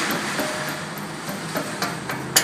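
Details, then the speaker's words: 2005 Hyundai Santa Fe, rattle on acceleration, exhaust heat shields tapped lightly with a tool: short, thin metallic rings with no rattle afterward; tinny but the shield is tight. "That sounds a little tinny, but we know that's tight."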